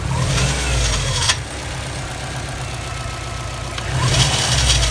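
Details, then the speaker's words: Subaru with a replacement engine, revved to about 1,000–2,000 rpm: a faint rising metallic scrape on each rev. The owner suspects a cracked or split turbo. "every time that I raise my rpms up I say to one thousand two thousand rpms I hear this little scraping noise"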